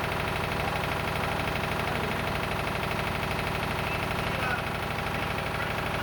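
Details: Lister emergency air-compressor diesel on the M/V Steve Irwin warming up before loading: steady, even chug about three beats a second with a firm low thump and no misses; normal idle.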